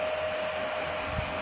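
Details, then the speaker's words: Constant airy whoosh with steady mid-pitched hum, no rattles, from the cooling fans of a home-built 15 A CT 55 power amplifier at power-up through soft start; normal fan operation. "Agak berisik, teman-teman. Karena ada empat"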